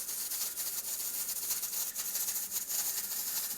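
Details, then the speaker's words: Traditional stovetop pressure canner at correct pressure: the weight jiggles and vents steam in a hissy, rattling cycle with quick ticks, about every 16 seconds or three times per minute, within the proper two to four per minute. "you can go as low as two times per minute up to four times per minute but you want your weight to cycle between jiggling and b"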